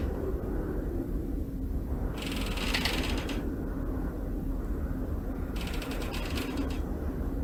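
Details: Australia 108 apartment tower in Melbourne: two bursts of rapid, dry crackling creaks over a steady low wind rumble; structural creaking blamed on incorrect construction, possibly framework friction after recently cut holes; cause suspected, not confirmed.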